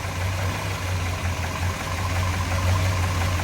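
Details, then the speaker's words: 1967 Chevrolet Biscayne, low-mileage big-block 454 (L72 tribute) with solid lifters, 4-speed Muncie and cast-iron manifolds, just started: deep, steady, lumpy idle with a solid low rumble and no knocks or squeals; sounds good. "I like it. I like it. Cool. She sounds good."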